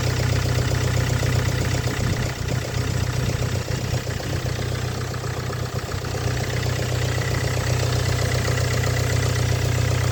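Cold idle carries a fairly steady tapping, roughly four a second, over a deep engine drone; knocking on cold start.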